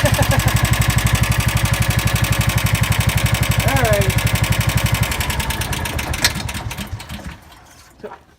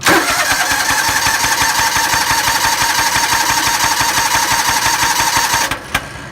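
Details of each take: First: John Deere Gator engine after a full teardown and valve adjustment (tweaked the valve pin to remove play): small single thumps along evenly at about four beats a second with no misses, then winds down; runs healthy. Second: John Deere Gator engine cranks steadily at about three beats a second without catching; a spark plug firing is heard but it won't start. Owner suspects no compression and plans a compression test. Cranks but won't start.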